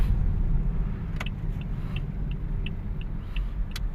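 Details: Toyota Vios, deep steady humming drone from under the car at about 15 kph, no engine rhythm on top; low-speed hum, wheel hub bearing suspected but not confirmed.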